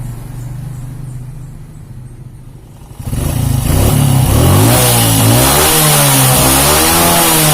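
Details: Suzuki Shogun 125 that ran smooth cold but rough once warm, after the connecting rod was replaced: quiet idle, then revs climb and fall cleanly with no knock or rattle; normal revving.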